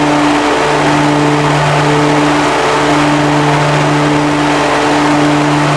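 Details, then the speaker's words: Commercial lawn mower with hydraulic pumps and a hydraulic wheel motor on each side, while driving: steady mid-pitched whine with a higher second tone over the engine drone; owner suspects a failing wheel motor. "oh all right YouTube sounds like I got a hydraulic wheil motor going out as well"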